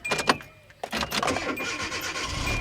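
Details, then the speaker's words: Hyundai Accent, auction car, hard to start: uneven clicks and brief catch as starter engages, then steady cranking; starter hangs up intermittently, possibly heat soaked. "It was like when we first tried to start it was like it sounded like it was catching or something hanging up right there."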